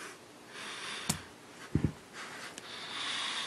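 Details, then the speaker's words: Monoprice 8-inch subwoofer with breathing issue, before swapping to Onix RCA pigtail cable: soft irregular breathy chuffing with no signal playing, not from music; cable didn't help. "now you hear you hear the breathing the chuffing right it does not even for music"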